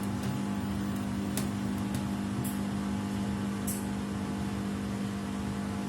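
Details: Samsung WW75TA046TE/SP replacement washer, sixth day of use, noise worsening each wash: loud steady hum, low drone, rough rumble and occasional sharp clicks during wash; abnormal loud noise, cause unknown.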